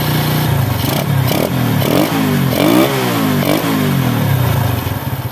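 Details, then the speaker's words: Honda Astrea Grand four-stroke motorcycle, carburettor air screw turned in about one turn while seeking highest idle rpm: uneven revs, surging and sagging, stuttering fuel-starved lean sound; engine warming up. "Sekarang, meskipun putaran mesin sudah maksimal, suaranya terdengar seperti kekurangan bahan bakar atau tersendat karena kapasitas mesinnya besar."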